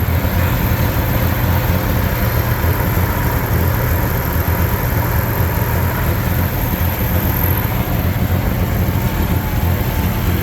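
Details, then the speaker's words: 1971 Jeep CJ6 ex-fire-department, under 6,000 original miles, at idle after start-up: low, lumpy, loping idle with uneven chuffing and visible shake; owner says it's missing on at least one cylinder, cause not confirmed. "would say for sure missing on one cylinder at least,"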